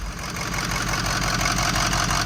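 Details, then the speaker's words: Ford 6.0 Powerstroke diesel bought at auction: uneven, lumpy idle with a skipping beat; cylinder six contributes nothing, a dead injector, with a broken MAP sensor hose also found. "significantly changes the idle the six is doing nothing so let's go out there and wiggle that uh plug on the ejector see if it's a short maybe in the harness or something"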